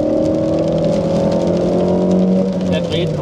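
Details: Car engine after repair of timing-belt failure caused by a stiff water pump: steady, even note holding one speed with no knocks, ticks or rattles; running cleanly and healthy.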